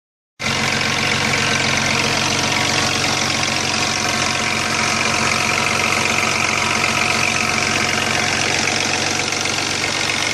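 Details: Chrysler Sebring at steady idle with fast loose metallic chatter from the top end: the oil pump no longer gave enough pressure for the timing chain tensioner, so the chain rattled against its cover and later jumped, causing major engine damage.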